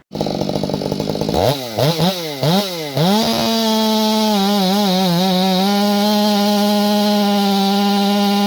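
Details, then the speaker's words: Stihl MS461 chainsaw with a non-limited coil, blipped from idle and then held wide open: steady high note with a faint rich burble, slight four-stroking that is intentional from its tune. "this one has a quote unquote non-limited coil and it's you can hear it for four stroking a little bit but that saw i built different you know what i mean i built it different to run like that"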